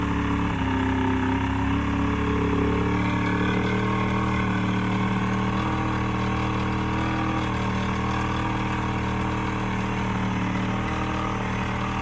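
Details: Old 90hp Johnson outboard on a 1987 Crestliner, sat about a year, fresh plugs, started on starting spray: low uneven lumpy idle with wavering pitch, never smooth; rough running, needs carb work and fuel line cleaning.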